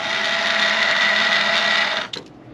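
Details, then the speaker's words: Flooded Honda S2000 convertible top motor, removed and bench-tested, rusty: spins with a high, scratchy whirring drone for two seconds then stops; motor is dying and noisy, confirmed bad. "that's okay so at least one of them was bad for sure but that doesn't sound good doesn't sound good yeah that it's not supposed to sound not supposed to sound like that yeah it I mean it's it's dying yeah look at it it's it's dying sounds like a rat"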